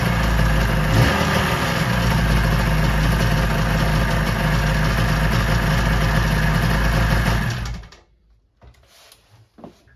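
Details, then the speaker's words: Suzuki GT250 X7 twin two-stroke after re-welding the down pipe and refitting the expansion chambers: steady crisp idle burble with no puffing or ticking leak at the pipe joints; normal running. "I've got to get a bit of heat paint on the exhaust, but it doesn't seem to be blowing. I'll do a quick fire up so you can hear it, and then yeah, I'll wrap up then."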